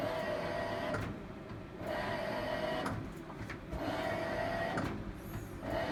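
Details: Hitachi BW-D7MV washing machine making an abnormal noise since 15 January, recorded 19 February; rhythmic swishing strokes just under a second apart, each with a faint squeal; cause unknown.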